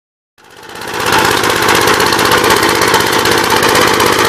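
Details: 1959 Gravely LI single-cylinder engine with 20-over piston, oil had been mostly water, now reassembled with PTO installed; fires up and settles into quick even beat about four a second, no knocks, running healthy.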